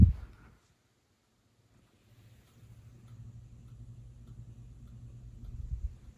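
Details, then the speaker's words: Hampton Bay Quick Connect ceiling fan, quiet on low, then on high: low steady hum builds as motor comes up to speed, with a very slight ticking too faint to pick out; cause unclear. "I don't know if you guys can hear that it's also making a very slight ticking noise not sure what that's all about here we are on high it's definitely humming now"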